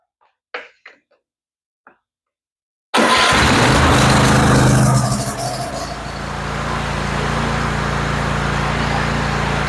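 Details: Kohler 24 HP engine after ignition coil module replacement, spark confirmed: after a few quiet clicks it catches at once and runs smoothly and evenly with no misfire or knock.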